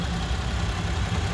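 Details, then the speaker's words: 2017 Toyota Sienna AWD idling after start-up at a pre-purchase inspection; steady low idle with faint quick ticking like fluttering cards, ordinary direct-injection injector noise; normal. "ticking sound kind of like fluttering cards. That's your direct injection. That's normal."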